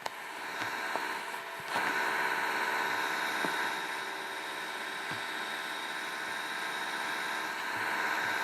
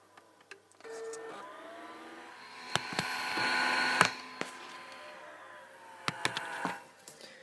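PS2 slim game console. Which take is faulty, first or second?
second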